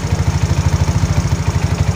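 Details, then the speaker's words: Mio scooter with hard starting from an over-lean carburetor mixture, screw adjusted toward half: quick, even single-cylinder pulses in a steady rhythm, no stumbling or dying; now idling smoothly without stalling. "Yun oh Yun nag rondo na siya bawi siya anan so so hindi na siya namamatay doon sa kalahati"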